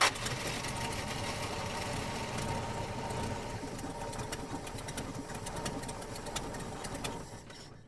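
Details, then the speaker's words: 1970 Dodge Dart engine, long-sitting car being revived, run on fuel poured into the carburetor before the fuel pump primed: runs rough on its own several seconds, then fades and dies; stall from fuel starvation. "And she died. Sounds pretty good. Sounds really good, actually, doesn't she?"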